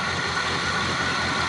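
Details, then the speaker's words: Old Z28 Camaro after sitting, fuel fed directly to the fuel pump and choke readjusted: starts easily and settles into a steady, even idle with no misses, knocks or hunting, running smoothly. "I can't believe it still starts up that easy after sitting all these"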